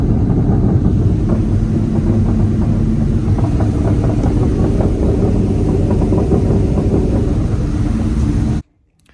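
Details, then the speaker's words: Cobra (car) under way: loud, rough rumbling grind with an uneven pulse of about three to four a second and vibration, much worse at highway speed. First thought to be the rear differential, now seems to come from the driveshaft; source not pinned down, cause suspected. "when you're on the highway the noise gets much much louder and much much worse and it's it it vibrates and it and it literally sounds like a grinding noise but it sounds like it's coming from the drive shaft"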